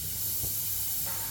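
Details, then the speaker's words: Newly mounted vertical wall radiator on a freshly pressurized heating system: steady sharp hiss of air escaping the bleed valve with no water yet; trapped air being bled from the radiator. "We bleed just the air, that's it. So just the air bleed. Big radiator, loads of trapped air."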